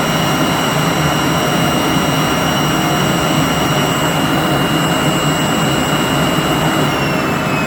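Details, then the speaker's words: 3-phase 7.5 HP (5.5 kW) regenerative ring blower, a CNC vacuum pump, on a budget 10 HP VFD, after cleaning out debris: loud steady rushing roar with fixed high whistling tones, smooth and unbroken; running normally. "all right one more time I keep playing with this cuz it's so much fun I love it it sounds so cool"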